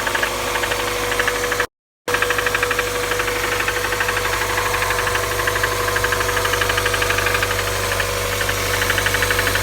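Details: 1998 NBA 1.8 at idle: a steady idle with a sharp, regular knock about three times a second over the engine hum, a clear engine knock.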